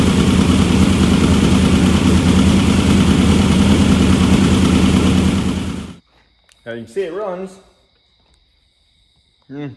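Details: Engine just restarted after work, later found leaking around an ARP head bolt that then snapped; idles steadily for six seconds at an even beat of about three pulses per second, then shuts off, sounding smooth. Normal idle.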